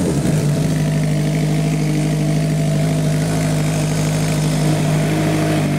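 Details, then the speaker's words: 1986 Kawasaki GPZ1000R four-cylinder, hot: steady idle whose drone keeps faltering as cylinders cut in and out; misfire appears with heat, suspected failing ignition coil, plug leads pulled to try to isolate it. "what happened there we dropped cylinders hear that is that cylinder like bugging in and out"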